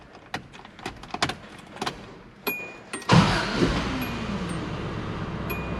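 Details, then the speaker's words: 1986 Subaru BRAT after a tune-up (new oil, filter, valve cover gaskets, spark plugs): the engine runs with a rough, rushing whir over the idle, suspected to come from the water pump bearing. The noise then goes quiet, confirming the water pump. "I have a feeling this noise is from the water pump which I have a water pump so what I want to do let me start up the the brat and let's see if that noise goes away if it does then that'll tell me that it is the actual water pump"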